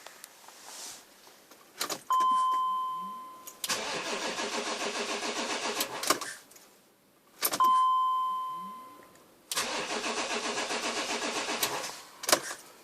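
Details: BMW X5 E53 diesel cold start: two bursts of steady, even cranking with a chime; the engine spins freely but never catches. The electric fuel feeder pump is silent and no diesel reaches the engine.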